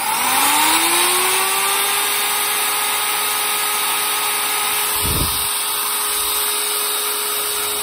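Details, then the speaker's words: Zubr UShM-230-2100 PM3 230mm angle grinder, brought in not switching on, running after fixing a poor contact: steady high whine with gritty rough hiss; worn bearings, all three to be replaced. "принципе слушаем рабочие но ему поменять все подшипники то есть три штуки здесь вот здесь короче будем менять 3 подшипники"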